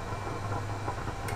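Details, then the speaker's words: Goblin Time Spot valve radio after alignment, no station tuned, grid cap removed: steady hiss and faint crackle over a low hum; the 6B6 valve is likely generating the noise. "It's probably this valve it's a 6B6 and they are noisy."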